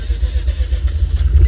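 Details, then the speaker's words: Mazda RX-8 rotary showing a misfire code, still smoking after the computer was reset, starting up: deep, lumpy throb with uneven pulses and stumbling; misfire. "success still [Music] smoking and it's still having a mire con I don't think I'm able to drive this car like this"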